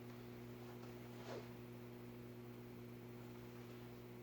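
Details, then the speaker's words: Midwest Fan-Lite retractable blade ceiling fan (LeVelle Bird Fan) at low speed, garage fans running: low, steady electrical hum with a faint pulsing rise and fall; motor hum, otherwise quiet, cause not confirmed. "That's definitely bedroom quiet because it's going room, room, room, room, room."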